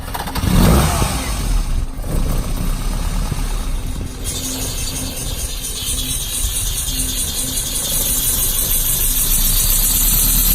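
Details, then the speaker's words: 1972 Lancia Fulvia V4 with original Solex carburetors, cold start after sitting in cold weather, not warmed up: short crank catches quickly, then a low, fairly steady idle on a touch of choke; healthy, super nice and quiet. "these cars have a choke on them the starts been sitting it's been pretty cold I didn't even warm it up so feel a little bit of choke to get started super nice and quiet"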